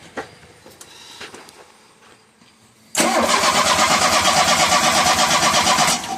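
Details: 1985 Shelby Charger after fuel pump, sending unit, tank, plugs, wires, coil, cap and rotor replaced: starter cranks steadily at about three turns a second but never catches; brand-new plug dry, no fuel delivery.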